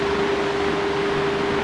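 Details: Stand fan after replacing its belt to cure a clattering noise: runs smoothly with steady airy rush and constant low motor hum, no clatter.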